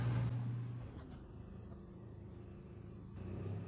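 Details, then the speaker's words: RV generator, not in eco mode, with 50 amp soft start: low steady rumble lifts in pitch and loudness as the bedroom air conditioner compressor, set 67 on low fan, comes on; generator idles up and responds normally. "All right, generator just kicked up. Uh so the bedroom air conditioner should be blowing cold now."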